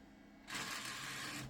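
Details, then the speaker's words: DVD drive in a 1998 Gateway G6-400XL (400 MHz Pentium II) running Windows 98: about a second of harsh, hissy buzzing as it spins up, then cuts out; fails to read despite repeated exercising, likely needs replacing. "no matter how many times I exercise it it just won't work it's making that buzzing noise so I think this is going to have to be replaced unfortunately"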